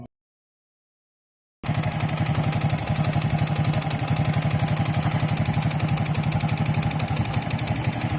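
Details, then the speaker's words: Honda XRM 125 after overhaul with new connecting rod set, block still scored and needing rebore: even single-cylinder idle, smooth regular firing about four beats a second, no knock or rattle; normal idle. "Balik ang tunog ng kanyang makina na parang brand new"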